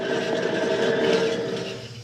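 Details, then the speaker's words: 2015 Dodge Journey, rear hub spun by hand gives a gritty scraping drone with a ringing tone fading as it slows; worn rear wheel bearing found. "found the wheel bearing that's nice shot"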